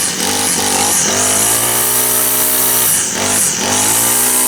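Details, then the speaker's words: Honda GX25 four-stroke trimmer, about 20 years old, refuelled with fresh straight gas during service: buzzy idle sagging and recovering a couple of times without throttle, needs warming up; runs fine once warm. "Was running. Oh, didn't put any throttle on. Likes it warm up though."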